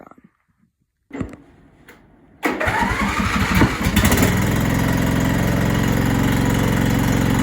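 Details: MTD Yard Machines mower with 14.5 Briggs engine, after fitting a new carburetor: a few weak cranking thuds, then catches with a burst and settles into a steady, even run with no misfire; starts and runs normally.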